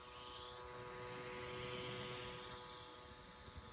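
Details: Surface Pro 3 i5 256GB replacement unit, worse than the returned one: steady airy rush with a fixed buzzy tone instead of the normal whoosh; persists after all Windows updates, suspected fan defect.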